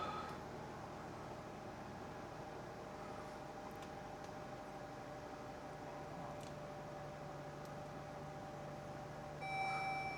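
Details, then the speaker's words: 2021 Chrysler Pacifica petrol engine restarted after cleaning IAT and MAP sensors, possibly with throttle body cleaner in the intake: hesitant start, slight stalling and uneven wavering idle, then a warning chime; P0108 code, limp mode, fixed by replacing the MAP sensor. "Now it started. Stalling a little bit. Little bit of rough idle there."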